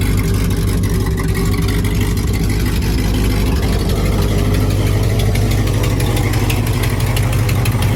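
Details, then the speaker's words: 1955 Buick Roadmaster 322ci Fireball V8, newly revived: low loose idle with light uneven tick that clears at higher rpm; suspected exhaust leak (hole in exhaust on that side) or possible valve train issue, unconfirmed. "I'm ready to get rid of that exhaust leak, make sure that ain't a valve train noise. Dad has a good point. When you bring the RPMs up, it kind of clears up and goes away, so we might have a valve train issue."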